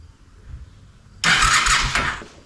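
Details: Honda Shadow motorcycle, possibly a 650, that sat almost a decade: the starter spins the engine for about a second with an even churning beat, but it never catches. Cranks but won't start; fuel delivery suspected, not confirmed.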